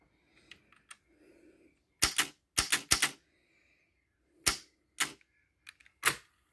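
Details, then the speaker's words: Pioneer CT-F900 cassette deck after fitting a stronger, cut-down Marantz spring to the idler on the original idler tire: crisp clunks and paired clicks as transport keys engage and release, working flawlessly; the weak idler spring was the fault. "so now this idler tire has all kinds of upward Force okay so you can see it's spinning Haul on ass okay and it's working Like A Champion okay flawless"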